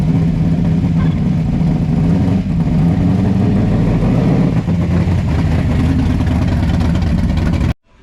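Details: 1957 Chevy pickup with a big-block Chevy V8 at first fire-up on a new exhaust: Black Widow mufflers on a 3-inch mandrel-bent pipe kit. Loud, deep, lumpy rumble that stays steady with a couple of light blips; healthy idle.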